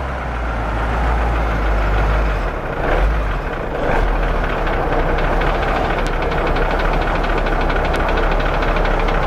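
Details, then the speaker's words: Big diesel ramp truck idling just after fuel system work and bleeding, a light fast ticking riding over the rumble; possibly a weak injector, or just air in the system. "that ticking as um as it came off of idle any kind of rev that would go away so he said it sounds like a weak injector"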